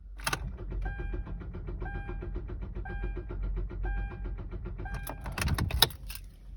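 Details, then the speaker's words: Car won't start: fast, even clicking about ten a second with a chirp each second and no cranking, a new and awful noise for this car. Thought to be a dead or dying battery, so the starter solenoid is chattering from a discharged battery. "get to the car get everything loaded in car won't start makes this really awful noise"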